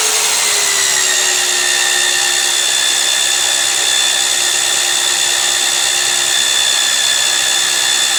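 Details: Magnetic drill drilling steel plate with cooling lube; motor whine sags slightly as the cutter takes load, then holds steady pitch through the cut, smooth even running, nothing abnormal.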